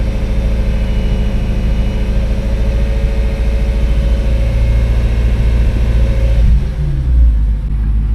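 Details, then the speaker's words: BMW M3 after replacing a sensor to fix a cold start/stalling issue, engine light now gone: steady, even idle, blips with no breaking up, and settles back smoothly without stutter. Normal idle. "Well, you can hear when I give it gas, it sounds pretty pretty fine. So, I think it's done."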